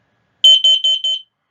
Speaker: that means that your carbon monoxide alarm is sounding off and giving you a warning to the presence of carbon monoxide.